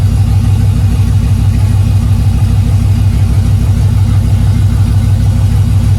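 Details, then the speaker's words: 2000 Camaro SS with junkyard 5.3 LS1 block and heads replacing knocking 6.0, open exhaust, spilled oil burning off; loud open-pipe V8 burble, evenly paced and steady, no knocks, misses or ticks, sounds healthy. "actually it sounds good you actually sound good and back in a game banging the game all that oil that stuff just burning up that I spilled"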